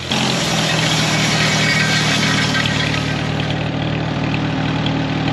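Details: 1939 Farmall H four-cylinder tractor after tune-up with timing redone, previously rough and missing: loud even low chug at steady idle, no misses or knocks; fixed and running healthy.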